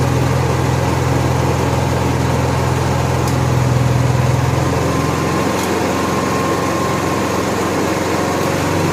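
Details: Honda EXW171S welder generator, sat in a barn over 5 years, run indoors after choke warm-up: steady, even drone at constant speed with no knocks, misses or surging; normal running, runs fine.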